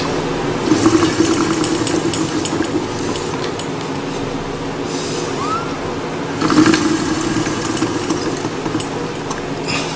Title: cycleops Fluid2 rattling noise